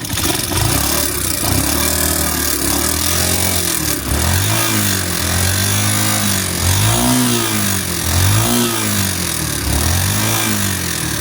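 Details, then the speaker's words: Honda TMX 125 Alpha, before tune-up: small single rising and falling through revs with a light, fast top-end clatter; noisy tappet ticking from excessive valve clearance. "Kakaingay mga master. So susubukan muna natin ito mga master kasi yung lagitik niya is parang tsunapin lang to."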